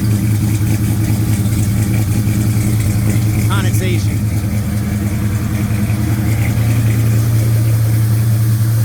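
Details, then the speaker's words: 1956 Chevy Bel Air with a 307 V8 and hydraulic cam on previous lifters, first start with a new Holley 4150 double pumper and 70 lb oil pressure; fast loud ticking over the idle, especially at the back, so owner plans to check valve lash. "70 lb depressive, but that valve train sounds loud. Loud, loud, loud, loud. That's unusual. I don't know why the val train's so loud."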